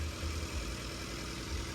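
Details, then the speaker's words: Auction car on its first cold start at about 50°F: a smooth, even low idle rumble with no knocks or ticks and no dash lights on. The engine sounds healthy. "but the motor sounds good motor sounds very good"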